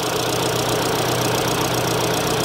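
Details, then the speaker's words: 2022 Kia Sorento after diagnosing a cylinder 2 misfire and clearing codes: petrol engine idles steadily with an even rhythm, no misfires on live data and runs well with throttle; normal idle. "I'm not seeing any misfires at all put my foot on the gas and it's running good"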